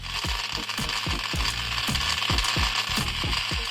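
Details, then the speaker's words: Toy Biz Jurassic Park Lost World remote-control T-rex toy under repair, walking on a table: motor whirs under rapid uneven ratcheting clatter about three clicks a second. Gear train strained and labouring, but it still moves. "I mean, it sounds awful. The motor sounds like it's killing itself, but it's doing it still."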